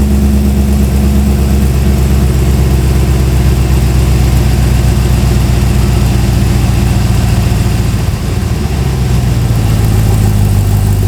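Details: Ultima RS kit car with newly built 6.2 L LS3 V8, running indoors, cold with thermostat not yet open and coolant not circulating; deep, steady, even rumble with one brief dip near the end: normal cold idle.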